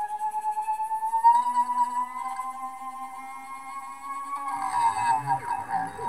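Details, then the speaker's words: NEMA 34 stepper driven by Arduino with ST-M5045 microstepping driver on 24V supply; whine climbs, wavers, never reaches full pitch, then stutters roughly though it reached full speed earlier: stalling before full speed. "huh having a hard time I was able to get this uh offline here to full speed without much problem"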